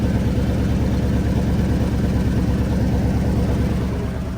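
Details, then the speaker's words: 1994 GMC C1500 Sierra with a rusted-out exhaust at idle; loose, chuffing low idle with a puffing beat about three times a second, consistent with an exhaust leak. "It's running. Exhaust is rusted out."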